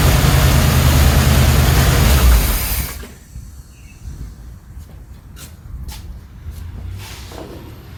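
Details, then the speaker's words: 1977 Chevrolet Cheyenne C10 pickup, 350 4-barrel 165 HP V8, valve cover off: low, loping idle with a steady top-end tick about three a second; one valve not opening, owner suspects a worn cam lobe or possibly a lifter. "well I think we figured out the problem it's a cam Lo for sure so or it could be a lifter"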